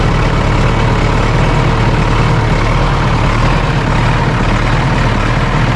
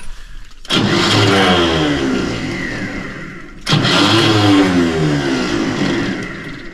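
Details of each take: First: John Deere 450C dozer diesel after fitting a new gear-reduction starter, a little air still in the fuel line: deep, steady rumble holding an even idle with no stumbles or knocks; running fine. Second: John Deere 450C dozer, old starter before replacement: three short cranking bursts about three seconds apart, each cutting out before the engine catches; Bendix gear not engaging, and when it does it disengages too early.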